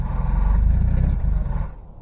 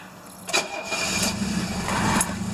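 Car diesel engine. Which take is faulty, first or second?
second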